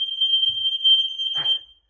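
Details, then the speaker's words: Newly installed wirelessly interlinked smoke alarms set off as a test: piercing high steady tone of about one and a half seconds, then it cuts off; loud and clear; normal smoke alarm sounding. "So now we can set them off. They're all interlinked wirelessly. Excuse the noise."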